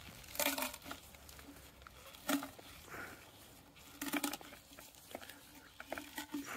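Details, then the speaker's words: Viessmann Vitodens boiler, flow hose removed and flexed: dry crunching and crackling with loose debris rattling inside, hose clogged with sludge, a common fault; flow and return hoses being replaced. "see that's gonna bring out i mean depending how much crap is in there might not actually come out it might just be yeah look at all that now imagine all that is going to be going into a plate heat exchanger into a central heating system it's not good"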